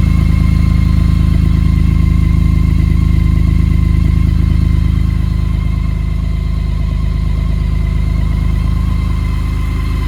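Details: 2019 BMW K1600GT six-cylinder motorcycle with 20,430 miles, cold start after sitting about 5 months over a Minnesota winter on a battery tender with no fuel stabilizer: a smooth, even six-cylinder hum at steady cold idle, no misses, ticks or knocks. Runs healthy.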